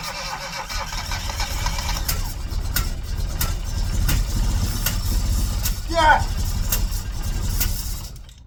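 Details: Classic Mini, first start attempt after 12 years, low compression found earlier: starter churns steadily about eight seconds, almost catches but never fires; cause unconfirmed.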